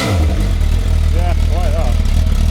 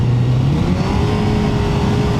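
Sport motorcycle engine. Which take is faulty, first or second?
second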